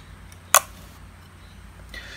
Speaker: the relays are actually quite noisy when they fire you can hear that clicking sound but none of that actually makes it through to your amplifier